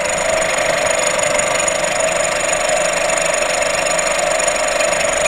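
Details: VW Golf VI 1.4 TSI (CAXA) at idle: fast, uneven light rattle about two a second over a steady engine hum, a loud clattering, trilling noise; owner suspects a faulty high-pressure fuel pump, not confirmed.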